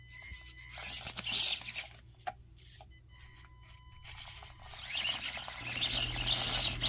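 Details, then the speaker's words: Warthog LCG RC rock crawler with Makerfire motor, version 1 electronics and 70mm Swamp Claw tires on a hard basement-course line: high thin whine rising and straining in bursts over rock; motor whining under load. "I'm leaving the original audio in there so you can hear it whine and struggle a little bit, but you know, those are the version 1 electronics."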